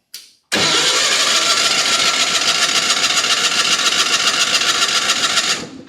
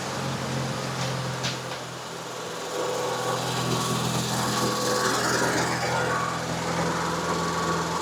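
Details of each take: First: Miller Bobcat 225NT welder/generator with older Onan engine, spark tester on grounded plug: five seconds of steady rhythmic cranking that never fires; no-start because there is no spark. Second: Miller Bobcat 225NT welder/generator with older Onan engine, after no-spark ignition repair: catches and runs fast with even beat, then settles smoothly to lower idle once warm; successful repair.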